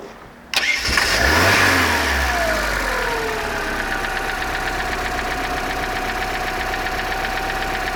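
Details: Bayliner boat engine, previously a no-start after no spark, now repaired: timing found 180 degrees out, likely from the customer pulling the distributor. Catches after a brief crank, flares, then settles into a steady, even idle; normal running.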